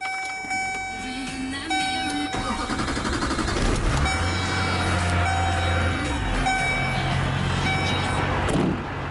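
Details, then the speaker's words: 2003 GMC Topkick rollback diesel, dirty and sitting for a long time: cranks, catches within a couple of seconds and settles into a low, smooth, very quiet idle with no knocking or misfire; it runs really well. "that's about as quiet of a diesel as I've ever heard. Runs really good, really quiet."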